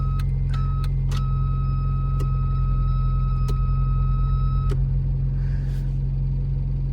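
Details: Mk3 Ford Fiesta, engine running with lights on and doors shut after door switch swap: high buzzing tone cutting in and out with clicks over steady engine hum; occurs only with lights on, cause unknown, door switch ruled out.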